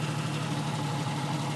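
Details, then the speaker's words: 1991 Jeep Cherokee Laredo after all spark plugs were replaced; a badly worn plug had caused a single-cylinder misfire. Smooth, even idle hum with no stumble. Normal idle. "well as you can hear the Jeep is running great now"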